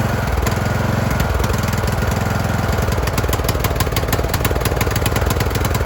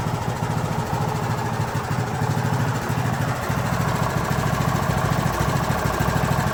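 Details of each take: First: Craftsman YT3000 riding mower with a bad engine: the engine surges, its firing rhythm speeding up and slowing instead of holding steady, while the choke is worked by hand to smooth it out; a replacement engine and carb are planned. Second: Craftsman YT3000 riding mower with a replacement single-cylinder engine from a donor tractor, first start, fuel solenoid powered by a jumper pack: catches and settles into a steady, even putter with no knocks or misses; normal idle.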